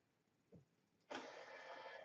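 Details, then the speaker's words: Brunt Blind Engine motorized blind opener, specified to lift 15 pounds: a faint click, then a louder, strained whirring that drags and falls off as it jams. The red light flashes rapidly, which the mobile app shows as overloaded. Motor overload. "you can hear the motor whirring a lot louder and that's it it's got jammed and then red line now is rapidly flashing which on mobile app means that it's overloaded"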